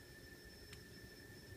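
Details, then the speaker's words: Teensy 3.1 audio board, SGTL5000 codec, volume at 100 with high-gain amplifier: faint steady high-pitched whine with two fixed tones over low hiss; background noise later cured by disabling the codec's built-in high-pass filter. "noise is um clearly much higher than it should be because I turn the volume to 100 and the gain of this amplifier here is quite High so on normal operation that noise is not going to be obvious or audible but it's still there"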